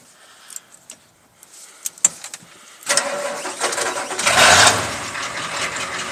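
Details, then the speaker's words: 1984 Ford F250 with a 6.9L diesel and 5-inch straight pipe, cold start with new glow plugs and a new relay: a few quiet clicks, then a loud catch building into a rough, steady diesel clatter; it fires promptly and keeps running. Normal cold start. "there she is she starts like a champ brand new glow plugs brand new relay sounds like a blown up 460 with a straight fight"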